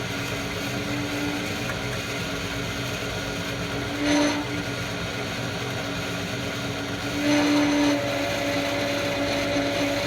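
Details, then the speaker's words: Harrison 11 lathe, 3-phase Brook motor, not earthed, run on variable frequency: steady hum fine at 50 Hz, at 60 Hz a clear tone rises and swells in short bursts; whine source unknown, belt or motor; motor grease nipples unreachable. "So it was going okay at 50 hertz. 60 it was making that noise. I don't know if that's the belt or if it's the motor."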